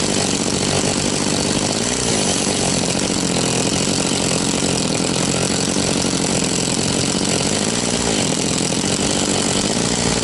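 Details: Very high-hour Echo CS-670 chainsaw, after an ignition repair and a high-speed tune, cutting: steady high two-stroke buzz under load holding revs evenly with no bogging or surging; runs clean.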